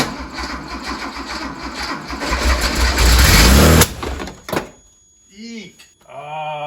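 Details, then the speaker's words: Uneven cranking, then a loud whoomp and sharp pop back through the intake on a 1973 Porsche 911T after new points and an oil change; backfire makes the air cleaner box try to blow off, a known issue with these boxes. "this is not a good thing to be happening if this box is trying to blow off so i've done some reading up on these uh boxes and they just have issues with them trying to pop off and there's that pop-up valve underneath"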